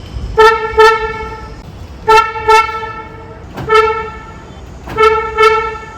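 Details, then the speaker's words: Hyundai Aura smart-key lock/unlock: short bright horn toots, mostly in quick pairs about every 1.5 seconds. This is the normal confirmation chirp, annoying at night, and can be muted through a hidden key feature. "नमस्कार मित्रांनो, हा आवाज ऐकला तुमच्या लाडक्या Hyundai Aura कारचा lock unlock करताना येणारा हा आवाज दिवसा ठीक आहे, पण रात्रीच्या वेळी हा आवाज शेजाऱ्यांना त्रासदायक ठरतो व आपल्याला देखील इरिटेट करतो."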